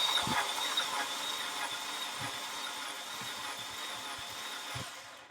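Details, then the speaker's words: Audi A4 FSI that won't start, with code P0343 (cam sensor high). Cam sensor, plugs, coils and air filter were replaced and the timing belt looked fine. Fast, light, even cranking with no firing suggests no compression; a friend suspects a blown motor. "Frank, it sounds like your car has no compression. That really fast crankover is almost always a sign of no compression."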